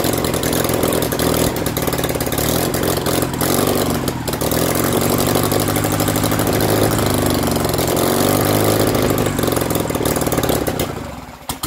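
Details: BMW R69S twin with Kayser Power Kit, first start after engine restoration: pulses beat unevenly and hunt as revs rise and fall; carburettors of unknown origin are troublesome, still needing attention.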